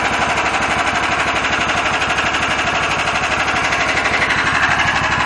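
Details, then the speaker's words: Freshly finished project car (Machine Gun Neves) started up: a loud, crackling staccato bark with a steady beat and ragged edges over a raspy exhaust; the owner likes its looks but dislikes the harsh sound. "actually I like her she looks like a beast but she sounds like a [ __ ]"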